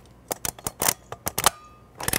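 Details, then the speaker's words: Vintage Kodak Instamatic loaded with 35mm film, heard at the side of the camera after a shot: sharp ratcheting clicks and a scraping squeak as film pulls across the pressure plate back into the can; film advancing normally. "you can hear the film squeaking and pulling across the pressure plate back into the can"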